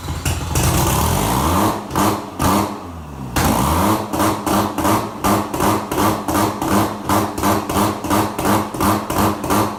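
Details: Freshly rebuilt bridgeported 13b Turbo II rotary from a 1991 JDM RX7, on start: revs immediately to the 2000 rpm rev limit and bounces off it about three times a second; owner suspects a vacuum issue, as MAP sees no vacuum.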